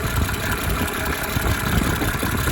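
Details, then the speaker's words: 1987 Mercedes 300 SDL OM603 six-cylinder diesel after replacing a squealing remanufactured alternator: steady, even diesel clatter at idle, no squeal or whine; smooth healthy idle. "I love the 6-cylinder engines from Benz. They're just smooth as silk. Smooth as silk."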